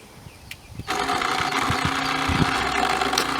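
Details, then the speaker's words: Intex 635T 1500 GPH pool pump after a quick temporary repair from spare pieces (noisy, like rocks before); motor kicks in and settles into even hum with light rattle, pumping and purging air, still slightly noisy. "Sounds like it's fixed-ish. Get some air out of the system. I see it pumping."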